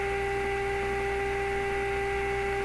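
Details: Clairtone console stereo during AM band alignment, slug being advanced: constant mid-pitched whistle with a higher overtone and faint low hum, unchanging; AM section howling, cause not pinned down.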